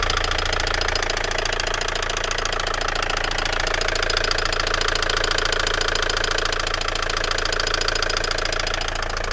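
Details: Opel Vectra B idling with a sharp, even knock of about two per second riding over the engine note; the source of the knock is unknown.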